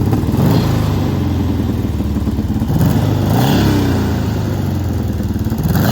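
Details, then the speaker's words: 1970 VW Beetle-based rail buggy with a built 1835cc air-cooled engine, freshly cleaned and running well: deep even burble at idle with several clean throttle blips rising and falling smoothly, no knocks or misses; normal idle and revving. "So got this thing running pretty good. I'll fire it up and show you."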